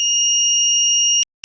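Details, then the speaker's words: Homemade voltage safety circuit prototype under test, threshold set at 362 V: voltage raised from 350 V, trips at 360 V and cuts the supply; loud piercing continuous alarm tone breaks off briefly then resumes; overvoltage trip alarm, circuit working. "ok a 360 è scattato quindi il circuito funziona perfettamente"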